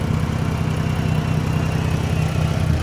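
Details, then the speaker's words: Dodge Journey alternator test, negative cable unhooked, jump box positive attached, battery holding 13 V: engine doesn't want to stay on, low idle throb dipping and wavering; owner suspects partly failing alternator, not confirmed. "yeah it it it definitely don't want to uh i definitely don't want to stay on"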